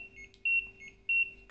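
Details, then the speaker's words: LG washing machine showing a PE error: two short, sharp high-pitched beeps about half a second apart, cause not yet known; PE error code beeps. "อ๋ออ๋อมันขึ้นมันขึ้นPEสันนิษฐานว่าเกิดจากอะไรครับ"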